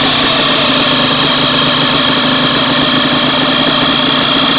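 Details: Warm DTR 125 motorcycle idling after a wash, with a fast, light chirping tick riding high over the engine note that was present before washing; the source is not pinned down. After washing it stumbled at high revs until the relay and plug cap were dried.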